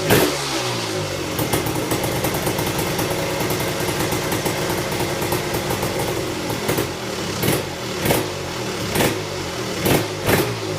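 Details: Tecate KXT250 two-stroke with new fuel petcock, almost cold start (last run half an hour earlier): crisp crackle at steady idle, short throttle blips dropping back; runs properly, idle needs adjusting.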